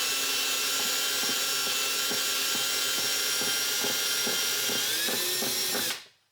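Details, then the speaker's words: Drilling during pulley and water pump modification to fit an electric fan on a 1965 Mustang Fastback: steady high drill whine with a dull thump about every half second; owner assumes the very rusty, probably choppy bit causes it. "When you hear a loud noise like that, that thumping, you want to just keep going and not worry about why it's making that noise. [snorts] I'm assuming it's the bit, though."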